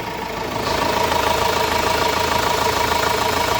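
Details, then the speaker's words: Renault Master diesel (timing gears below, timing belt above) idling after the damaged timing gears were replaced: even clatter with a steady rhythm and no odd knocks or rattles; engine running smoothly and healthy. "motorumuz Hacı Bekir lokumu gibi çalışıyor arkadaşlar"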